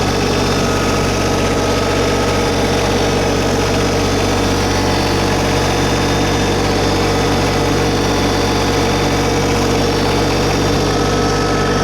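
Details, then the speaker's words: New 2022 LS MT125 tractor with about half an hour on it, diesel idle brought up a little while lifting the loader bucket. Steady even chug at slightly raised idle, no knocks or misses; normal fast idle. "Bring the idle speed up a little."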